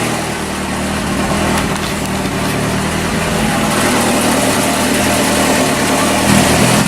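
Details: 1981 Alfa Romeo Spider Veloce twin-cam, first start in about 8 years, rear exhaust section missing: loud, raw, blatting unmuffled idle with throaty rasp, slight miss at first; loud exhaust from missing section.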